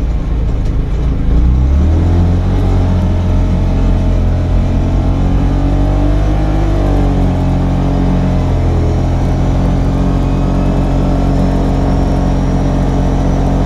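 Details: CFMoto UForce 600 side-by-side on a test run after a lift kit install, having earlier been driven possibly in low and too fast; steady heavy drone with revs rising but not pulling harder; owner suspects a slipping clutch, unconfirmed; lack of power.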